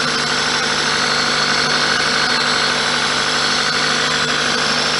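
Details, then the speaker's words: 1999 Toyota Celica ZZT231 idling just after battery reconnection, following sealing of holes in the cold air intake with two layers of glue; steady, smooth four-cylinder idle with no hiss or whistle, no air leaks heard. "I just unplugged the battery and now plugged the battery back in up here so apparently supposed to wait at least 30 seconds before revving the engine anyway I can't hear any air leaks now"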